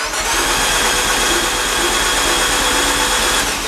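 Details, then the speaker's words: Fiat 500 Abarth engine in a Fiat X1/9 test body: steady whirring starter cranks for several seconds but it never fires, with the fuel pump disconnected and no fuel yet in the fuel cell; a positive first crank test. "so we have a crank so this is positive i'm gonna next step will be to add fuel to my uh my my fuel cell that's buried in this mess here underneath here"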